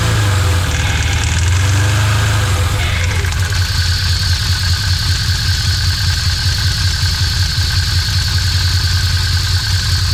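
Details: After cleaning out packed clay and a repair (tightening down and refitting the lock nut), the engine is fired up in neutral; it catches and settles into a steady, even idle with no grinding or clunks, starting and idling normally.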